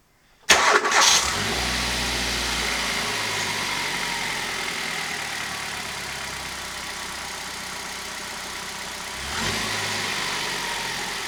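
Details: Hyundai i10 engine just after a spark plug replacement: a quick clean start, then a smooth, steady idle with a light blip; nothing rough, healthy.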